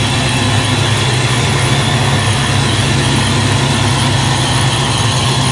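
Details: Supercharged 347 V8 Foxbody Mustang, dead cold after high-volume oil pump swap: steady, even low rumble with no knocks or misses at a cold idle around 530, 35–40 psi oil pressure, pressure light out; normal cold idle.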